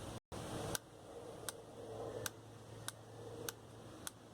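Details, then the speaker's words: Washing machine drain motor's internal relay clicking sharply about every 0.7 s over a faint hum. It energizes as soon as the control board sends current, before anything else activates. Normal relay operation. "Desde el momento en que la máquina o desde el momento en que la tarjeta le estaría enviando corriente, él se energiza inmediatamente, aunque lo demás todavía no se active, solamente el eh el relé."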